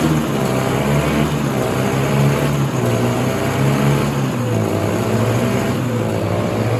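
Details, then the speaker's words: 1967 Ski-Doo Alpine twin-track snowmobile, sat many years, running on its own fuel line before carb cleaning: low, blubbery two-stroke with wavering muffled note that never clears; rich running from flooding carburetor, owner suspects debris in needle and seat. "We saw the sled run yesterday, but it was flooding extremely bad. I'm pretty sure we have debris in the needle and seat."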